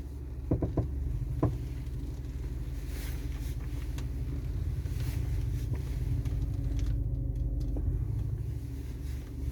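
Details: Audi A4 B7, one month after new TRW upper control arms: sharp pops and clunks, some in pairs, over low engine rumble when turning the steering wheel, sometimes pulling off straight. Mechanic says front right arm joints are dry; owner suspects dry ball joint or subframe bolts.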